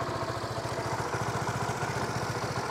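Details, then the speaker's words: Honda Supra GTR150, K56 DOHC engine, 5 years old, 58,106 odometer, tensioner, clutch lining and TPS replaced; even quick putter at idle, steady rhythm, no ticking or knocking; engine still fresh-sounding; normal idle. "Okay na okay pa yung makina mga idol. Sariwang sariwa pa yung tunog niya."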